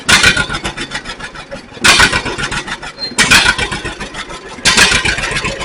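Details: 1942 John Deere Styled B two-cylinder tractor, revived: slow, uneven popping with a few louder bursts every second or two; starts and keeps running fine.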